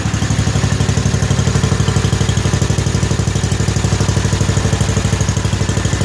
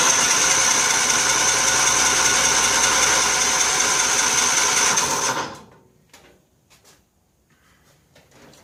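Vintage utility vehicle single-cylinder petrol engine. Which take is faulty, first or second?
second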